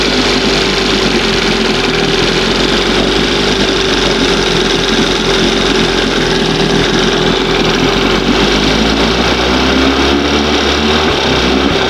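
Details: 20 hp Johnson outboard two-stroke, started with brake-clean spray, loud buzzing run that holds fairly steady but the tone wavers; it responds oddly to the mixture needle, set about 1½ turns out.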